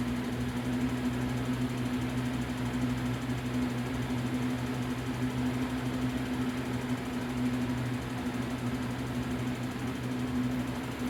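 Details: New Lasko Power Plus box fan B20540, switched on for the first time, runs with a steady low hum, an even whirr and a faint flutter. No grinding or knocking; the fan runs smoothly.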